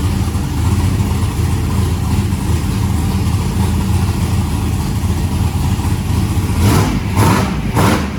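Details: Turbo methanol hot rod engine with a 36-1 crank trigger on its first start, open pipes: deep, steady idle that picks up cleanly on a few sharp blips; acceleration circuit judged on point, oil pressure at idle thought a little low.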